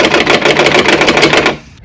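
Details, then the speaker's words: Ford Fiesta Mk3 driving at about 60-65 mph: fast hard clattering, about eleven taps a second, as air gets behind a door handle whose worn return spring no longer holds it tight. "Yeah, so it's the wiggle of the door handles when you're driving down the road. Of course the air gets behind them and that's all I hear when I'm driving it."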